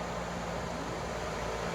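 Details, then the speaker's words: Dodge Intrepid radiator fan (relay, toggle switch): steady airy rush with low hum, even and unbroken. Fan running normally. "That means they got both fans blowing. I don't know if you can hear the change in it, But that's what we'll have."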